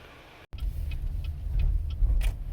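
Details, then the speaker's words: 2013/2014 Chevy Impala LT after repairing broken driver-side front wheel speed sensor harness (ABS grinding, traction control warnings on turns): pulling out of driveway, only soft road rumble, no grinding or buzzing; repair successful. "And when she pulls out of the driveway, that's the first time she ever notices it. And when we pulled out, it was perfect."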